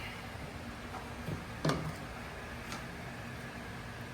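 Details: A single sharp click from a torque wrench with a torque multiplier breaking over at its set torque, roughly 150 lb × 3 (about 450–500 ft-lb), during a wheel cylinder brake job on a WABCO/Westinghouse motor grader.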